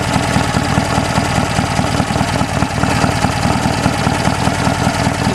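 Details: BSA A10 twin at idle after replacing the timed breather with two one-way Bunn valves; even, lumpy idle with steady light clacking from the breather valves; engine sounds healthy, normal.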